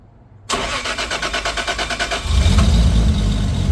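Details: Lexus IS300 with a 2JZ-GTE swap on a Fueltech FT550 base tune, first start: an even cranking chug about three beats a second, then it catches cleanly and settles into a steady, healthy idle.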